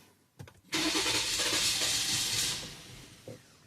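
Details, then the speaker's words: 2020 Jeep Grand Cherokee 3.6 after another shop's engine rebuild (heads off), codes cleared: hesitant cranking stumbles, then catches and runs roughly before settling; back to hard, rough start, P0339 returns; damaged crankshaft reluctor. "so it's going back to a little bit hard start, rough start."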